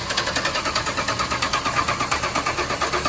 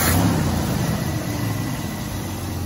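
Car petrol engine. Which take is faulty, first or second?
first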